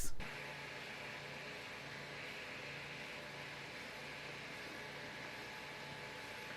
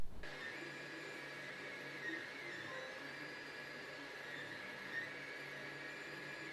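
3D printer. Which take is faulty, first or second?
second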